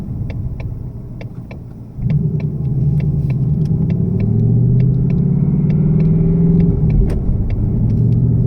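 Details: 2018 Mustang GT V8 at cold start after an oil change to Motorcraft 5W-30 synthetic blend: low idle rumble with light metallic tapping about three times a second. Owner suspects piston slap and feels the oil quieted it; not confirmed.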